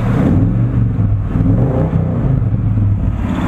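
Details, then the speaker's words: 1983 GMC K15 Sierra V8 with Quadrajet carb after vacuum break replacement and idle screw tuning; choke not yet opening, less smoke than before. Deep, even rumble with a slight rise in revs, no misses or stumbles; running smoothly. "like it's running pretty nice I suppose I should take it for a spin"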